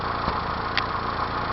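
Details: 1992 Mazda B2600 with an uneven idle and an occasional stumble breaking an otherwise steady beat, like a misfiring cylinder; cause of the misfire unknown.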